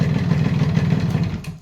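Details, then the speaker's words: 1986 Japanese Yamaha RX100 two-stroke with original block and silencer, rough idle then switched off: uneven low knocking pulses; connecting rod fine but piston loose in the bore, piston slap, piston replacement and reboring planned. "इसकी guys connecting अच्छी है ये गाड़ी की, लेकिन इसमें थोड़ा piston का साउंड आ रहा है। पिस्टन थोड़ा लूज़ है बोर में,"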